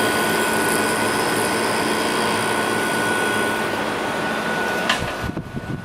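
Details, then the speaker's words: 5,000 BTU window air conditioner with Precision rotary compressor, drawing about 3.9 amps, fan switched to low: steady, even hum with constant faint tone, no knocking, rattle or cycling; compressor running healthy. "turn it on low for a second so you can hear the compressor better"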